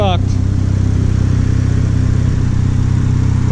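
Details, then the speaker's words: Turbo RX7 FD rotary after something was plugged back in (a vacuum issue is mentioned), with no smoke since; a steady, even drone with a smooth pulse about four per second, no stumble or hesitation; sounds great. "fine no hesitation no nothing sounds great"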